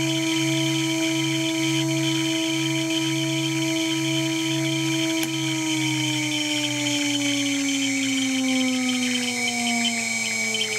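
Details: Water-cooled 2.2 kW CNC spindle under warranty: clear, steady chirping and squealing whistle with pitch sliding down as the spindle slows; owner suspects bad bearings.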